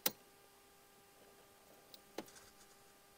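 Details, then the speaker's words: 2003 pre-facelift Mercedes W203 C200 CDI 2.2L, heard in the quiet cabin with ignition on: sharp irregular clicks about a second apart over a faint hum from the undersized automatic climate control flap actuator motor up in the dash. "Und dadurch ist ein kleines Problem da passiert, denn dieser Stellmotor ist leider unterdimensioniert. Und wenn wir das jetzt zünden, dann hört euch das"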